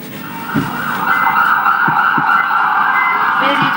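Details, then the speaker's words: Samsung CRT TV repaired for low sound, audio section with a jumper fitted at pin 5: loud clear program sound and music with no hum, crackle or dropouts; sound stops when the jumper is disconnected; audio now working normally. "इससे आपको भी यह संतुष्टि मिल जाएगी कि हां यह देखिए जैसे ही मैंने हटाया यह आवाज हमारा बंद हो [संगीत] गया"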